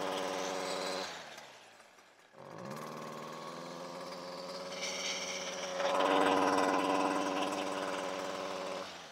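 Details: Stihl FS56 RC two-stroke string trimmer that began bogging at full throttle: drops and struggles, then revs up but sounds strained and flat at full throttle; exhaust spark arrestor screen is choked.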